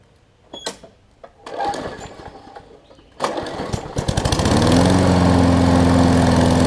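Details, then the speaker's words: Craftsman push mower after carb clean and right front wheel assembly replacement: a few pulls, then it catches and settles into a steady even drone with no misses or hunting; possible tiny carb bowl leak. Normal running. "all right guys here's the final product um as much as i'm going to do with it anyways looks like it runs good cuts fine"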